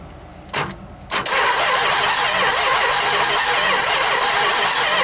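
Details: 440 big-block Mopar, unstarted 23 years, starter jumped with wires: strong even cranking about four seconds, no firing. Spark checked. Cranks, no start.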